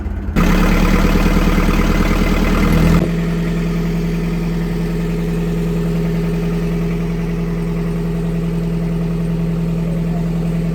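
After a brief rev it drops to an even diesel beat, about three knocks a second, steady with no misses: a healthy idle.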